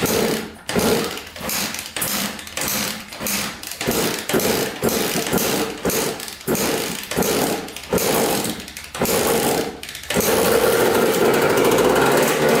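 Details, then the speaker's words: 1994 Honda CR80 two-stroke, sold as needing a piston with low compression, with the airbox off and gas squirted into the carburetor: short crackling bursts that die within a second, then a brief run; the carburetor likely isn't getting fuel. "hey all right uh that's good so i don't think the carburetor is getting any gas"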